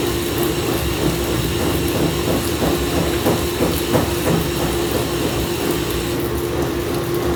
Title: Samsung washer weirdly shaking and making noises